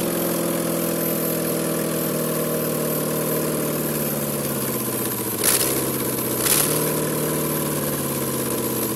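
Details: 5.3 LM7 V8 from a 2001 Tahoe swapped into a 1995 Impala SS, rebuilt with ported heads, standalone truck PCM, no exhaust fitted so loud; steady even idle, smooth low rumble, no knocks, misses or ticking: normal idle.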